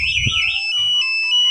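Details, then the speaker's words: Smart key alarm installed plug-and-play on a Yamaha R25, forced ignition and start attempt blocked: remote emits a high warbling emergency alert then steady repeating pips, continuing until the remote switches it off. "Ya bunyi seperti ini ya. Dia darurat. Jadi kalau belum dimatiin remote-nya, di sini masih bunyi ya."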